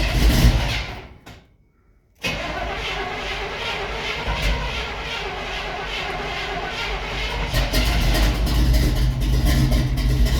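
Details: 1971 Chevy C10 Cheyenne 350 V8, unrun from November to February, mild day, choke: long laboured cranking, a gap, more cranking rising into a rough uneven catch; hard cold start after sitting, starting fluid used next, cause unconfirmed.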